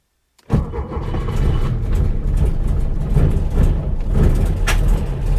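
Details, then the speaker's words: Porsche 912 starting on a cold day in neutral, after replacing points, condenser, cap, rotor, HT leads and plugs and fitting electronic ignition: cranks and catches with lumpy firing and sharp exhaust pops; backfiring on start-up. "oh backfiring there we go whoa right"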